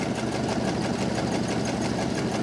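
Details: 1929 Ford Model AA truck, sat over 30 years, warm idle after restart: steady fast-pattering idle with a slightly uneven, lumpy beat. Owner unsure whether cylinder 4 is firing; possible misfire.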